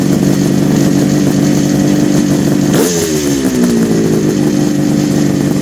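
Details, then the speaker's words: 1974 Kawasaki H2 750 two-stroke triple on its first start after 34 years, with oil put in the chambers and smoking: a crisp buzzy steady note, then a quick rev that falls back cleanly with no misfire; healthy running. "That's going to already start improving. That sounds so good."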